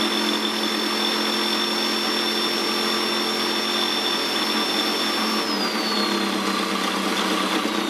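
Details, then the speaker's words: Husqvarna YTH150 lawn tractor cutting-deck spindle bearings after regreasing, spun unloaded without blades. Steady, even spin with a clean whine that eases down smoothly and no grinding; the spindle turns more easily than before: normal bearing run. "graisse. Bon, j'ai l'impression qu'il tourne quand même plus facilement qu'avant."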